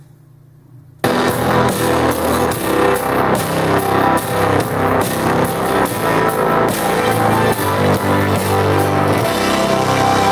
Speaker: The sound, when the speakers are set to 100% volume and your device volume is set to 100% volume, there's quite a huge amount of distortion in the audio.